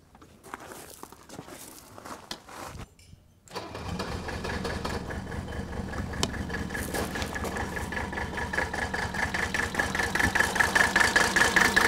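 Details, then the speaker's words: 1983 Mercedes 300D diesel, said by a mechanic to be dead, idling with a loping, uneven beat from a miss; injector lines cracked one at a time to find the misfiring cylinder. "I'm gonna crack one fuel injector line at a time while the engines idling and if there's no change and sound that I know that particular cylinder is misfiring"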